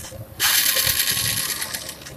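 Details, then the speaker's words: Yamaha Mio J scooter: starter motor spins with a high thin whir but the engine doesn't turn at all, no cranking thumps; starter clutch slipping. "starter cuma bunyinya selesai gitu aja nih ya motor cuma mesin ya muter Surya"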